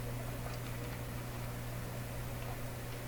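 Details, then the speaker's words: Canadian Admiral J104X/J105X console amplifier, with the filter capacitors removed during hum troubleshooting: a constant low mains hum with a faint buzz, which grew louder once the capacitors came out. The source is not yet found. "actually did go up I can certainly hear it here so I was an increase in the hump"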